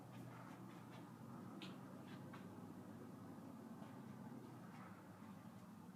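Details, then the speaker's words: 44" Monte Carlo Designer Supreme II ceiling fan in a hotel room, incandescent light on, running on low speed. Only a faint steady hum and soft air movement, with no ticking or wobble. Quiet, normal operation. "this one doesn't make any noise the one in the other room"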